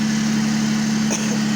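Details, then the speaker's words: 2005 Toyota Avalon petrol engine idling: loud, raspy drone from an exhaust leak at the front flex pipe; owner also suspects worn belts making extra noise; no engine warning lights. "because there's a a leak on the flex pipe um in the engine well no not in the engine but in the front here"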